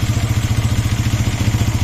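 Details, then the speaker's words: Suzuki GSX-R at about 21,000 km with a whistling noise from the water pump: with the water pump removed, quick even idle at about fourteen beats a second, no whistle or squeal; seal to be replaced. "এখন আর whistle দেওয়া মানে বাঁশি দেওয়ার মতন কোনো শব্দ আর এই গাড়িতে নাই।"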